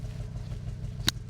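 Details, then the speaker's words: Audi RS3 five-cylinder, possibly non-stock exhaust, low slightly lumpy burble with one sharp pop that sounds almost like a misfire, but it is the normal five-cylinder note of a healthy engine. "It doesn't sound like it's running too well actually. It sounds like it's misfiring low-key, but that's just how the Audi RS3 sounds like. Like the middle between V8 and like Subaru boxer engine."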